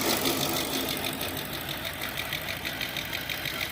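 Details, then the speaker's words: 2007 Audi A8 with a no-crank/no-start, running after jumpering across the pyro fuse: a thin, unsteady idle with irregular tapping and a wavering beat. A rough idle; other issues are suspected. "It's running. Not so well. Probably got some other issues, of course. Not a lost motor."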